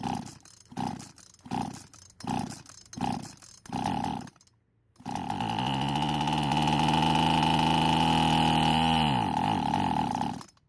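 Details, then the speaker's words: Poulan chainsaw that wouldn't start, with fuel poured into the intake and the old fuel line apparently off the purge bulb port: about six short pull-cord bursts, then it fires and runs steadily for five seconds before dying; possibly flooded with too much fuel, hard start. "So I may have put a little bit too much fuel into the engine and flooded it, but it did eventually start up, and this time it ran much better than before."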